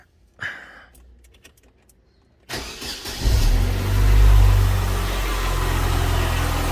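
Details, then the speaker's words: Chevrolet Corsa, cold morning start, accessory Poly V belt replaced two weeks earlier: cranks, catches, loud cold idle with a metallic rattle on top; loose belt tensioner and bolt. "E aí ó ó ó Ah tá com um barulhão tá vendo ó G1 é bom investigar que que é isso eu tenho uma suspeita"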